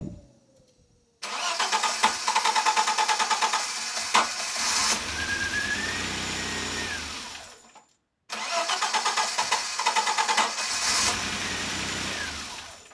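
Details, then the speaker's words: Citroen XM 3.0 24V V6, hot engine: long cranking at about three beats a second before stumbling into life, then a second labored crank; starts fine and runs well cold but is hard to start and uneven hot. "As you could hear, the XM problem has not disappeared by itself. I had hoped, but it didn't. It is still really hard to start and runs uneven once it gets hot."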